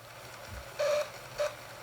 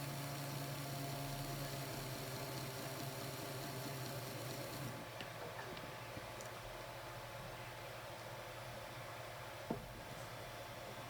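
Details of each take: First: Two short, harsh squeals near 600 Hz from the motor of a second-hand Bachmann Blue Peter model locomotive on track, a dry motor bearing screeching; fixed by oiling. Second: Bachmann Blue Peter model locomotive motor after oiling its dry front and rear shaft bearings: it now runs with a quiet, even low whirr and no squeal.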